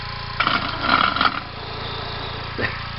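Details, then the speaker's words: Homemade steam engine built from a weed whacker, sewing machine flywheel and plumbing parts, fed by a small leaking tank; short hissy chuffs for about a second then quiet; turns over but won't keep running, owner suspects pin length in tube or flywheel. "well turned over a few times maybe I just need to uh work on the length of the uh pin that I have inside that tube right there"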